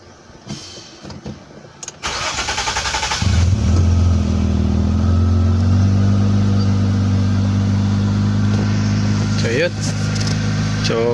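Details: Nissan Cefiro V6 after fuel pump work (clogged in-tank fuel filter had caused sputtering and no power): brief cranking, then engine catches quickly and settles into a steady, even idle.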